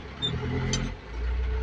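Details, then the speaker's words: Caterpillar 580 telehandler diesel after low-power repair (suspected fuel lack, damaged wire): steady low drone settles then picks up evenly, no stumble or miss, getting power again; normal running. "and then also that's good see again it is getting power now"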